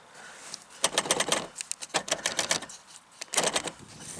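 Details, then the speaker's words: 1984 Pontiac Fiero power door locks: short buzzing whirs from lock motors in two bursts, no clunk of locks throwing; actuator motors run but locks do not move. "So the motors work. See that? You can hear them working, but they don't move."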